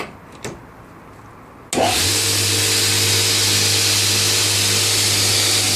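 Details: Newly built DIY 72" x 2" belt grinder, first power-on: a click, then it spins straight up to a steady, even hum with bright belt hiss. It runs smooth and healthy, with the belt tracking well.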